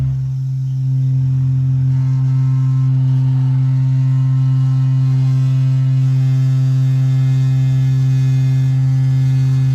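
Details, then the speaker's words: Newly installed A.O. Smith gas water heater: loud, steady foghorn-like burner hum stopping abruptly when the flame shuts off; harmonic vibration, harmless nuisance, to be fixed via the bracket under the burner. "So, this heater was just installed and was making a loud humming sound. They call it harmonic vibration, so there's nothing dangerous about it. It's just a nuisance."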